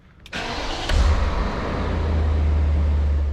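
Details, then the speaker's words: BMW E39 M5 V8 with 161,000 miles, hot start: brief metallic rattle then rough idle, cold start even more rattly; suspected worn timing chain guides, unconfirmed; airbag, brake, ABS and traction lights on. "you hear that rattle that rattle is from a hot start the cold start is even more rattly so this engine uh timing chain guides a very common bmw issue"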